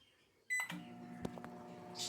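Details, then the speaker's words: Philco microwave after magnetron replacement, heating a cup of water for 40 seconds: loud noise gone, steady even hum with no roar or grinding; running normally and water heated. "barulho diminuiu E aí e não parece que tá ok já sinto o calor aqui ó ó E aí e parece que tá funcionando"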